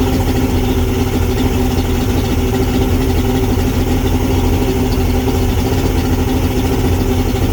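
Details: Mercury Salt Water Series 150 two-stroke outboard, first start after last season, after replacing a cracked carb hose that caused bogging at 2000 rpm and above: steady, even low idle drone with no misses or surging; normal idle.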